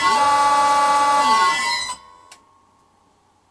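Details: 32-year-old Allen Bradley VFD running a vintage lathe motor: piercing steady high whine near a thousand cycles with a second tone below, cutting off as the drive stops; the old frequency drive screaming, to be replaced by an XYS-AT1.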